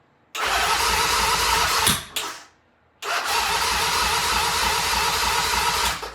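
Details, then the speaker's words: 1975 Norton twin, first start attempt after rebuild with both carbs tickled: two bursts of fast uneven cranking that don't catch despite fuel; timing found set up wrong; no start, incorrect ignition timing. "Alright, well that previous attempt was basically a disaster. But we did find out that we set the timing up wrong."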